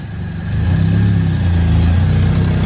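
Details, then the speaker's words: K20 engine swap on its first runs, with a makeshift exhaust and an O2 sensor bung left unplugged and open. Revs up with a loud, raw exhaust blat and a rough puffing edge under the note. Exhaust leak from the open sensor hole. "Oh, that is the exhaust leak. There's a hole. Oh, I forgot there's a hole right there."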